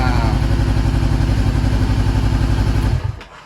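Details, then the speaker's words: 2013 Honda CBR500R salvage-auction bike after new kill switch, previously no crank no start: strong, even low thumping about four beats a second, smooth and steady until switched off; normal idle. "it works wonderful all right guys as you heard the bike fires right up and it sounds really good so that is amazing"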